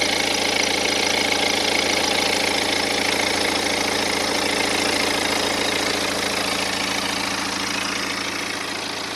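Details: 2010 BMW 118d E87 with N47 diesel, 178,000 km, idling with a steady fast ticking clatter over a hissy sound; suspected timing chain noise, but teardown showed the timing chain train was OK.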